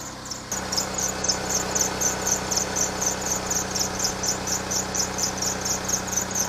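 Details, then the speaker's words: Lexus RX300 running engine: a sharp, high chirp repeats about four times a second. The worn alternator belt is squealing and due for replacement. "друзья То самое чувство когда настало время заменить ремень генератора слушаем внимательно"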